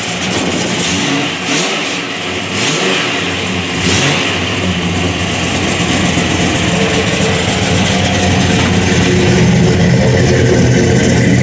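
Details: 426 Hemi V8 with 8-71 blower, MSD programmable ignition and 5-speed Tremec, detuned for street: deep lumpy idle climbing cleanly through blips to a strong, even roar, no knocks; normal idle and revving.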